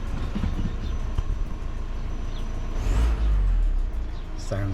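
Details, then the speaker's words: 2015 VW Crafter 2.0 CR35 TDI camper van run after Wynn's turbo cleaner treatment: diesel fires up, steady even clatter, one brief rev blip, turbo whistle, no misfire; normal diesel running, smooth. "all sounding nice and smooth"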